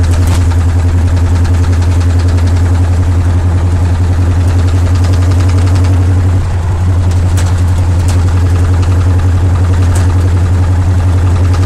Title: Flathead knocking sound..